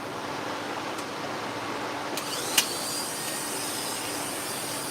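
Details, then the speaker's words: Dog-grooming clipper with freshly sharpened blade after drive socket squeezed tighter: smooth steady low hum, even buzz, no rattle, one brief tick; much quieter, cutting test string well; normal running. "Much quieter. Test string. There we go. Cutting good. Cutting real good."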